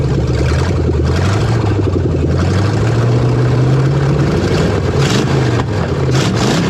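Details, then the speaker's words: 1970 Dodge Charger barn-find 383 four-barrel V8, after a timing adjustment with the original carburetor refitted: the engine catches and settles into a deep, steady idle with a slight lope, running cleanly and better than with the Carter carburetor. "Sounds like it's running pretty good now."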